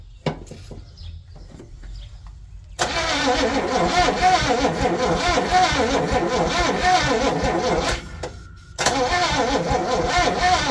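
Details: 1961 Chevy Impala four-door, sat 20 years: engine catches and runs steadily, dies briefly around eight seconds, then fires again; engine starts and runs.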